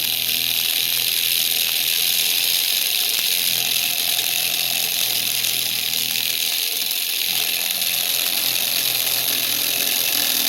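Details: Tiny brushed motor from a class kit rated for 1.5 V, driven at 32 V and about 1.8 A: a harsh, high-pitched buzzing whine with a steady rasp, speeding up and giving off heat and burning smell. Motor overheating from overvoltage.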